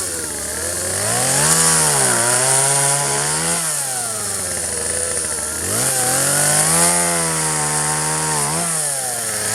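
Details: 1997 Poulan 2150 chainsaw, 23 years old; warm, just run; dull chain cutting box elder tops. Two-stroke winds up and drops under cutting load, pitch sagging and recovering cleanly each pass; normal running.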